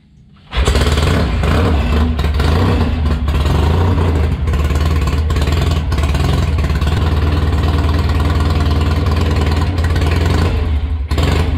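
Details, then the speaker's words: Restored 650 Triumph twin on temporary exhausts, auxiliary fuel tank and temporary wiring, re-run after retorquing cylinder base nuts and head bolts and rechecking tappet clearances: catches quickly, settles into a steady even beat with no knocks, ticks or misses; carburation sounds close, healthy running. "everything is sounding pretty good and uh collaboration wise it actually doesn't sound that far off does it no it sounds to be pretty good pretty all right"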